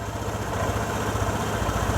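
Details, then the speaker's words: Vespa ET4 scooter, engine fully warmed up, idle being turned down via the air-box adjuster from a high, noisy setting: steady, even low putter with no hunting or racing, rear tire stationary so the automatic clutch is disengaged; normal idle. "that sounds pretty good right there um definitely don't want it where it's racing and the tire is spinning pretty fast"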